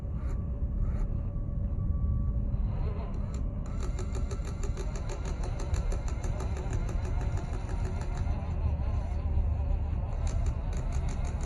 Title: WPL TOYOTA FJ40 C34 ROCKS AND WILDERNESS (broken servo) all the ticking noise 😧RC TRUCK OFF ROAD